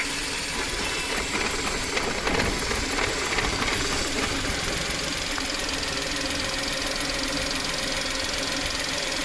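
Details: VW petrol engine idling high with light uneven knocking/tapping and an airy hiss, code P0171 lean. The cause is a leaking PCV valve diaphragm acting as an intake vacuum leak, which also causes low mileage.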